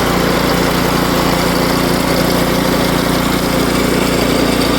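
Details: Power Smart 24-inch snowblower, 212cc single-cylinder, customer's no-start machine after repair, oil checked and fresh gas added; loud steady beat with no misses or surging, holding speed evenly: normal running.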